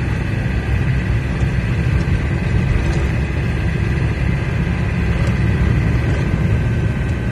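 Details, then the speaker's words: Camper van on the road after wheel bearing failure, shifting from fourth to fifth gear at moderate speed; steady low rumble with even road noise, no knocks, whine or grinding; drivetrain sounds healthy. "bah écoute ça a l'air d'aller"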